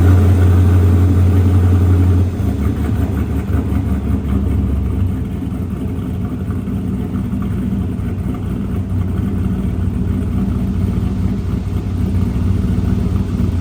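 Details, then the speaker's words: Snowcat with new Texas Speed 408 LS V8 swap, first start, 190-degree thermostat, no exhaust yet: deep, even rumble settling to steady idle with clean revs, no knocks or misses; great oil pressure; normal idle and revving. "Excited about this as me and Nick are, but the thing sounds ridiculous and it fired right up, great oil pressure."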